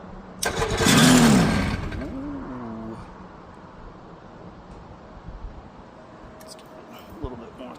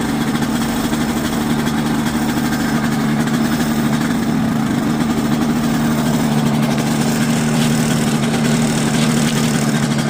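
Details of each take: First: Quicksilver ultralight, starter recently rebuilt, battery reportedly fully charged: a loud crank of about a second and a half dies away without catching; owner unsure whether battery or starter is at fault, 50/50. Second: Quicksilver ultralight two-stroke, warming up before a static ground run: steady low buzzing idle that holds speed without surging or misfires.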